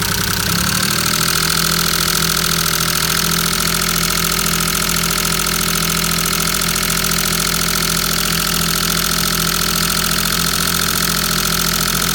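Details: Maruti 800 DX / Alto 5-speed MPFI small petrol engine settles from start into an uneven idle that stumbles now and then; misfire at idle.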